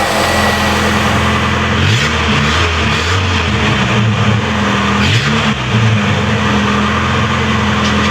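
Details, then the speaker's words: Ford "Moistang" project car engine (likened to half an American V8) starting after a pinched fuel hose was replaced: fires and revs, pitch rising and falling with throttle, full even roar, no knocks or misfires; normal running. "Et voilà, c'est reparti, le moteur démarre, le moteur rugit comme un V8 américain. Enfin, un demi-V8 américain."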